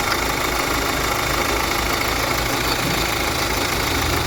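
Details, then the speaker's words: Kia Sportage diesel at 186,900 km idling with a steady rough grinding rumble from the front of the engine, with no coolant loss or overheating: the water pump bearing is worn and the pump turns loosely. "Arkadaşlar şimdi size motorun önünden harıl horul ses geliyor Ne bozuk onu göstereceğim arkadaşlar"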